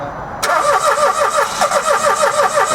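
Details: Dacia Logan after timing chain replacement: rhythmic starter cranking with regular churning beat, never catches and runs; cranks without starting. Cause suspected, not confirmed.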